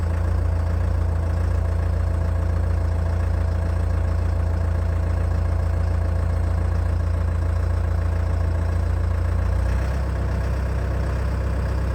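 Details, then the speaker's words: Old CAT excavator diesel, first start after months, cold temperatures, very little runtime: very low, even idle, steady and smooth with no knocks; judged a normal cold idle by CAT-familiar mechanics. "i've sent the video to a few guys who are familiar with cats and they've had a look at it and they're happy with the way it sounds given temperatures that were there how little runtime the engine had had"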